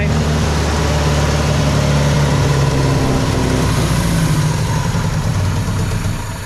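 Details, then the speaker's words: 1965 Datsun 320 with excessive fuel pressure, no regulator fitted; after starting, a steady fast idle holds well above normal tickover and won't settle; idle too high, tuning awaits a fuel pressure regulator. "Let's try it again. There we go. Yeah. Idle's way too high."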